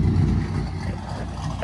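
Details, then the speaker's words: Chevy Tahoe LS 5.3 V8 with a Chopacabra 220/214 cam, new valve springs and LS7 lifters; deep, lumpy idle with an uneven loping pulse and nothing knocking or ticking, a healthy big-cam V8. "I forgot where they go for that but it sounds good nice and choppy I'm about to go for a ride along"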